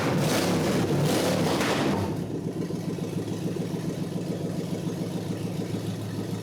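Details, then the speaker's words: 1948 Packard lead sled engine, not yet at operating temperature, after fixing a loose coil hot lead, with a heater-hose plug clamp on the intake manifold found loose: strong rev settling to steady even idle, no misfire or knock; runs normally. "We know one thing, the water pump's working real good. Wow. Wow. I'd say it runs."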